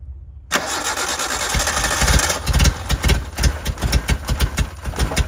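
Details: 1988 Suzuki Samurai, parked since the late 1990s, running from a temporary gravity-fed fuel tank: catches quickly after cranking, then runs ragged with uneven surging thumps and dips. Owner suspects it struggles to get fuel, unconfirmed.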